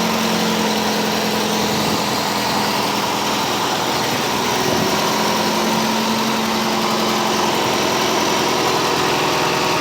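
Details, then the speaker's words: 1985 Cadillac Cimarron, all-original, 43,000 miles, base 2.0L four-cylinder, no leaks, idled down warm: steady, smooth low hum with no misses, knocks or ticks. Owner noted a tube has come off. Normal idle. "no leaks no kicks gm one wire elevator but now she's idle down nice and smooth"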